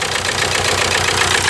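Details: 1998 VW TDI diesel, ~500,000 miles, run on 80% waste vegetable oil; rough uneven idle with loud hissing chuffs from the pulled breather. A stuck piston ring is losing compression into the crankcase, causing misfire with heavy blow-by.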